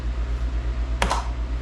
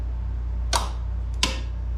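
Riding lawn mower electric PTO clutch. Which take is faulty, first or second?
second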